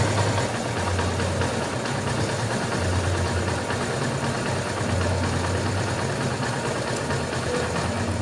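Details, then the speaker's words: Honda Invicta 150 / CB150 single-cylinder after top-end repair of cylinder head and rocker arms worn by lubrication failure: steady, even, low regular idle with no top-end tapping; engine sounds healthy. "en este punto entonces ya hemos terminado de cuadrar lo que es el motor de la Invicta y quiero que escuchen cómo nos quedó sonando."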